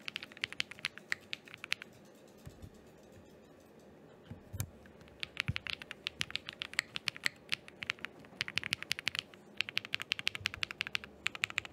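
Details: Thera 75 keyboard with Zaku linear switches, GMK Laser keycaps, freshly built, stabilizers adjusted (enter key had felt stiff): crisp, even keystroke clicks in quick bursts, no rattle or buzz; normal typing sound test.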